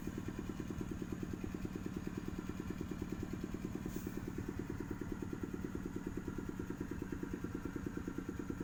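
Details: Engine idling with a fast, even clatter at a couple of beats per second under the exhaust; engine damaged after a leaking coolant seal let the coolant run out, requiring an engine teardown.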